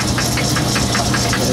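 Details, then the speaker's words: Logan lathe cutting aluminum at a faster speed: sharp clack clack repeating about five times a second over the running hum, steady with spindle speed; a broken tooth in the gears. "you hear that clack clack clack clack that's a broken tooth in my years"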